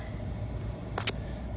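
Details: Paccar MX13 diesel idling after used unit pumps were fitted for leaking unit pumps; driven about 30 miles, no active codes, fuel pressure now stable. Steady, even idle with a smooth low rumble, no misses or knocks; healthy engine.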